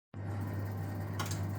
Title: Kotol Vaillant VUW 202/2-3 R2 - Strange noise